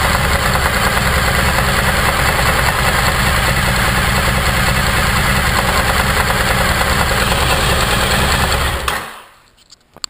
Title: 2014 dl1000 engine knock